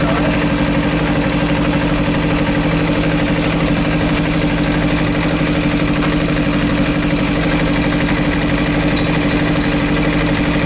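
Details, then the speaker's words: Kawasaki Ninja 300 Panasonic 12V radiator fan motor after repair of stuck brush: steady even hum and smooth whir over idle, fan switches off at about 108 °C after switching on near 112 °C; normal fan cycling. "ventilador tá baixando Ele desligou com 108 Acabou de desligar"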